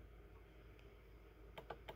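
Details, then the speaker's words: Vehicle with crank windows, battery drain being traced: sharp dry clicks over a low hum from a small relay hidden behind a panel behind the seat, found constantly energized and causing the parasitic battery drain. "there's a little relay hidden you can hear it clicking behind the seat behind that panel"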